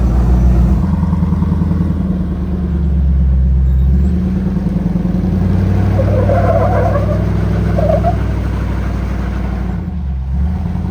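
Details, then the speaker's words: Morrvair V8 with 250,000 miles of neglected maintenance, off-road at Sand Hollow after carb tuning and accelerator pump setting correction; deep rumble pulls cleanly as throttle opens and eases off, no stumble or bog; improved throttle control. "Well, it's definitely got better throttle control. We haven't spent any time tuning this ever."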